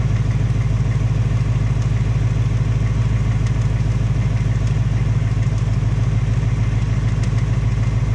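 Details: 2018 Ford Mustang GT on its second engine at 1200 miles, steady V8 idle with a fast even tick about three per second; knocking noted, piston slap or Coyote tick suspected, unconfirmed; Ford putting in a third short block.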